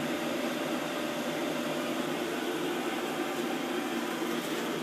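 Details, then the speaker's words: WoodGun E100 gasification wood boiler in operation mode at 400° stack temperature, recorded at the back by the draft fan: a quiet, steady airy hum with no rattle or wobble. The draft fan is running normally. "can you guys hear it this is the back and by the fan can you hear that very quiet"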